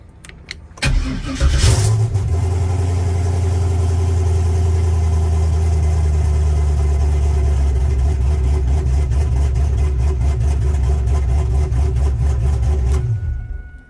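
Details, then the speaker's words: Turbo 5.3 V8 truck cold start with manual oil pressure gauge fitted: quick crank into strong even rumble and smooth idle, no clatter; good cold idle oil pressure, earlier noise not heard. "To be honest with you, I don't even hear it clattering, but we're going to look to see if we can't figure out where the noise is coming from."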